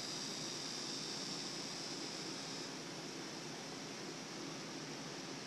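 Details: Abu Garcia Orra Inshore baitcasting reel after upgrade to Boca ABEC 7 orange-seal bearings and Revo drags: soft even whirring with a faint high whine fading as the spool coasts; no grinding or ticking, smooth spin.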